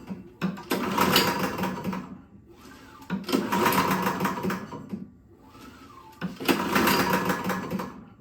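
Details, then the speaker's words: Toro Power Clear single-stage snowblower that backfired loudly on pull start, pulled over slowly with key out: loose rattling clatter inside with every pull, suspected loose piston or internal part; oil level fine with no metal seen. "Something does not sound right. It sounds like the piston or something in there is flopping around."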